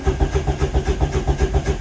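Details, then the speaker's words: VW MK1 Rabbit TDI diesel after starter replacement: brisk, even cranking at about seven to eight compression pulses a second, no start; new starter spins strongly, no-start attributed to fuel system losing prime after sitting. "Oh, baby. That starter parties. Okay, so now the fact that it's not starting is just related to it losing prime or something."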